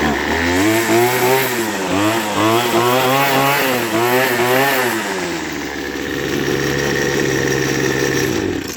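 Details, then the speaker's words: Poulan Pro two-stroke weed eater after tune-up: carburettor kit, new fuel lines, cleaned tank, relubricated shaft; starts easily, revs up and down cleanly then settles to steady even idle; normal running. "That starts almost good as my Mercury outboard, like."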